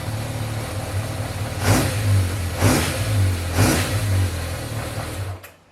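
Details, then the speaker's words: 1986 Yamaha FZ600 four-cylinder, not run for 15–20 years, on its restoration first start: catches and runs, blipped about three times, settles back and shuts off. A healthy first start, though the carbs still need fine tuning. "Part 6, massive steps. Guys, it runs. It runs."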